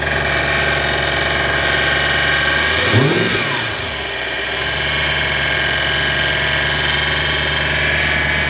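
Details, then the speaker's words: 1998 Porsche Boxster with Audi V8 swap: idle with steady high whine rising briefly on a throttle blip, seeming to come from the front of the engine; owner suspects the power steering pump. "ça pourrait être la direction assistée on dirait que ça vient d'ici et je pense que ça pourrait être la pompe de direction assistée euh ça ne sonne pas très bien"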